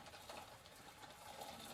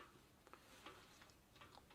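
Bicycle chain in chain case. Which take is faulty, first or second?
first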